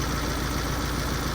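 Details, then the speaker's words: Tata 2.2 common-rail diesel dump truck, 140 hp, long-parked no-start, after engine wiring harness replacement; idles rough and uneven, not on all cylinders, faulty injector on cylinder 2 found: diesel engine misfire (dead cylinder). "อันนี้ก็คือเหมือนหัวฉีดไม่ทำงานนะฮะไม่เต็มสูบนะฮะ"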